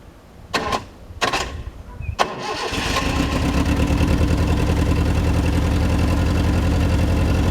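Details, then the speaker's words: Datsun B210 with a temporarily refitted, not yet welded exhaust: a few cranking bursts catch into a steady, even idle with a muted exhaust note, much quieter than before, with no rasp or blowing leak. "oh this is so much quiet I think we can deal with that guys"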